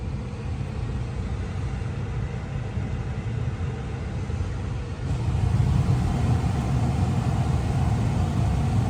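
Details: 2022 Tesla Model 3 rear-wheel drive with heat pump, very warm day, defrost on, heard from outside: smooth low whirring hum that steps up in loudness halfway through, no rattles or squeals; heat pump running normally.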